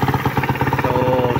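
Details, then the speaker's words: Suzuki Raider single after timing chain tensioner, chain and sprocket adjustment: even idle thump about ten beats a second; the earlier cylinder-head knocking at idle and on revs is gone, so the repair succeeded. "Pero ngayon ba wala ng lagatak. So successful yung remedy natin."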